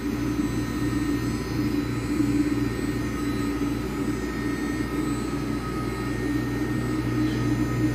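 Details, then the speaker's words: Walter Helitronic Mini Power CNC tool and cutter grinder: spindle runs as a constant smooth hum with a steady airy hiss from air blown through to keep out coolant particles, which is normal, no knocking or grinding; normal spindle run with air purge hiss. "so you're going to hear a lot of hissing air which is normal I don't see any problems but it makes it harder to hear the actual spindle"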